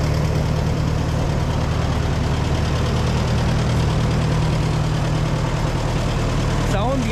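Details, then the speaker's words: Old CO-OP E3 tractor, possibly 1947, with a four-cylinder LP engine and many hours, started on a fresh battery after years of sitting. It runs "like a sewing machine": an even, smooth low idle with no knocks or misses, normal. "so let's see if it'll start battery on ignition like a sewing machine"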